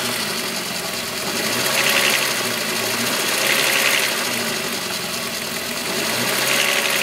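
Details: VW Golf VR6 2.9, 103,000 km, idle: fast metallic rattle swelling and fading every couple of seconds. Chain-rub noise grew louder after the upper hydraulic tensioner screw was changed; timing chain rubbing suspected, not confirmed.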